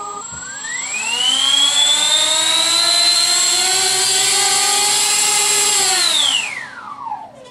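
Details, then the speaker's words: RC Tritle Douglas DC-6B model with normal and counter-rotating props, electric motors run up while held free of the stand after earlier rubbing: smooth whine rises with throttle, holds, winds down evenly, no scraping; normal motor run-up. "that sound was it rubbing against the stand so when I held it up by itself it sounded really nice actually"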